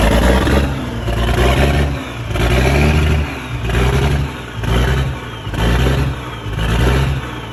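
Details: Old Scania airfield refuelling tanker, restarted after sitting non-running: deep diesel rumble swelling and dropping about once a second as it's blipped. The engine runs and revs freely.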